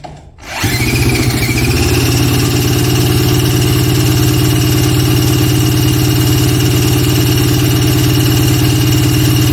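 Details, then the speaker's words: 1977 Polaris Colt 250 snowmobile, a barn find probably unrun for about 18 years, drill-cranked on full choke with the throttle closed and key on: steady cranking at about three turns a second, no firing. Fuel is seen in the line; owner suspects no spark. "that's pretty odd I'm not getting nothing it almost acts like I can see the fuel going through the fuel line but almost acting like I'm not getting any spark so maybe I'll check spark real quick here"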